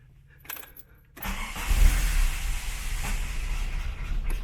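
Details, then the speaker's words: Mk1 VW Golf Cabriolet, engine and gearbox reinstalled, not run for a while: clicks, then catches at about one second into a low, somewhat uneven idle; starts fine. "oh yes it will if I pull the choke out maybe there you go little bit ta te hasn't run for a bit but nonetheless it [Applause] runs"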